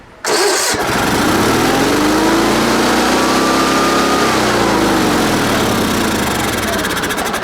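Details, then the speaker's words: Sears Suburban SS16 garden tractor, 16 hp Onan twin, sat for years, just revived by cleaning parts: catches within a second, settles into a steady, even run with no misses, knocks or smoke; normal running. "So we do know it runs. It sounds alright. It's not smoking, so there could be hope."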